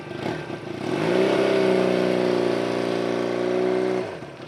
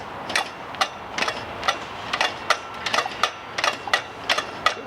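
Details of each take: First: Barn-find Honda CB200T on first start after an owner engine rebuild, with new ignition switches and a new coil boot: the engine catches, revs and holds a fairly even buzzing note, then settles. It runs nearly healthy. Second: Honda CB200 barn-find motorcycle being kicked over: sharp metallic clacks about three per second with each kick, the kick starter lever striking the muffler.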